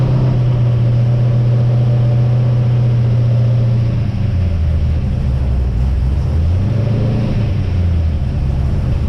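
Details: XG ute V8 on first start after fitting CNC-ported heads and a VCM 13 cam, on the assembly oil before an oil and filter change; deep rumble at a fast idle that settles lower after about four seconds and stays smooth; normal idle.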